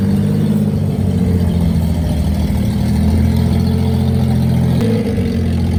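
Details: Daihatsu Hijet pickup with small three-cylinder engine, started with a fresh battery after sitting 5–7 years in a barn: steady, even low idle drone with constant pulse, no knocks or misses; running fine.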